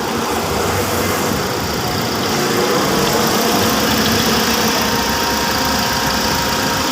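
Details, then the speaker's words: 2020 Toyota Altis, shuddering and no power in 1st-3rd gear, after replacing all 4 ignition coils (faulty coils were the cause): steady even idle with air conditioning on, smooth hum, no misfire or stumble; now quiet. "Nailagay na natin yung 4 na coil. Bago ho yan. Yun yung pinakita ko sa inyong branch. Yun. Tahimik na siya."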